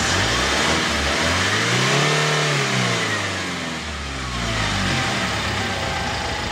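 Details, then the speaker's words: Kia K2500 diesel after repair of white smoke at hard start: revs climb smoothly and drop back to idle with an even beat, no stumbling or missing; engine runs clean, no smoke or lag. "Ayan guys ah naandar na tayo no So okay na yung andar Wala na palyado"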